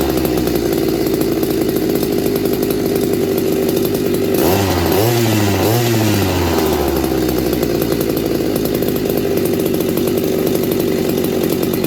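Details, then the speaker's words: McCulloch MC49 chainsaw after rebuild on a substitute 090 carburetor, after fixing the ignition points: steady high buzz bogs and wavers as the chain bites into wood, then recovers cleanly to full speed; normal cutting under load. "it was just the points thank goodness I don't know what they wanted I bet it's because I didn't sand them last time and I knew I was gonna kick me in my ass I really don't know how to end this video I mean it's she's running real good"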